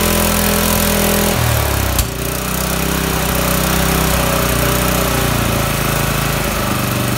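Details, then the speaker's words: Honda GX160 fire-pump engine just rebuilt, first run: single-cylinder putter drops and hunts unevenly after a blip, never settling to steady idle; low-speed idle still needs governor adjustment. "I just got to work on the idle speed because it's a governor adjustment"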